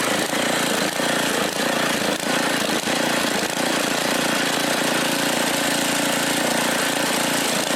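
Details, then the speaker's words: Mastercraft (Lawn Chief) rototiller, old Briggs 5 hp OHV engine, previously rebuilt after locked valves, water and a shot carburetor. It runs but stumbles irregularly, not at 100%, and needs a little choke to keep going. The cause is unconfirmed. "And it did stumble. It's not running 100%, but it ran okay. I had to put a little choke on uh to keep her going"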